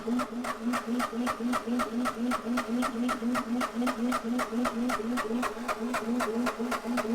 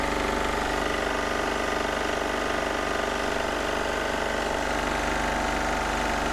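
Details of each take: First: Onan MEP-016B military 3 kW single-cylinder diesel generator, non-runner, fuel lines being bled: even compression thumps about four a second while cranking, never firing; fuel now reaching injector, crank no start. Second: Onan MEP-016B 3 kW single-cylinder military diesel generator, revived from barn storage without injection pump work, started outdoors to warm up: steady even clatter about two and a half beats per second; healthy normal diesel idle.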